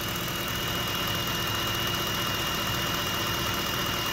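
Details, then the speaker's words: 2010 Ford F-150 idling with a steady thin high whistle over a quiet idle, from a loose serpentine belt due to a weak tensioner spring. The idler pulleys turn by hand. It chirps and squeals mostly on morning startups and seems okay warm. A new tensioner is about to be fitted. "little bit of a whistling sound but it usually in the morning it'll start like kind of a weird chirping squealing humming sound"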